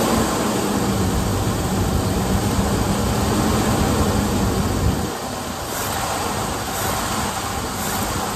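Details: 1978 Ford Bronco Ranger XLT with 400 V8, first start after sitting 20+ years, fresh battery: steady, even rumble with a smooth low beat and no misses or knocks; normal running.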